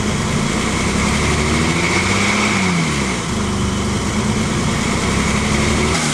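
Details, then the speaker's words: BMW E30, first start after years of sitting, weak battery: idle climbs then sags every few seconds with no throttle input, hunting instead of settling; cause unknown to owner; surging idle. "sorry if the motors too loud but I don't know I know you can hear it accelerates and then it goes down and do it again comment down below what's the problem if you guys know"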